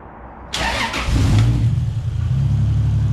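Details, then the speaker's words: Toyota 2JZ engine started after the oil line was reconnected following a no-oil-pressure problem: catches and settles into a steady, even idle with only a slight exhaust tick; small exhaust leak, owner suspects a warped manifold; normal start and idle. "but it sounds way better all you can hear is like a little exhaust leaks that I got around here which I think the manifold is just warped"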